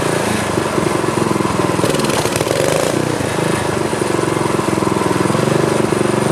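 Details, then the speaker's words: Craftsman tiller LCT single-cylinder engine, seized after sitting 2–3 years, freed with PB Blaster, carb, fuel lines and tank cleaned: steady even chugging with no knocks or misses; normal running. "all right so it's working the sucker was frozen before but that uh little shot of PB Blaster did the trick"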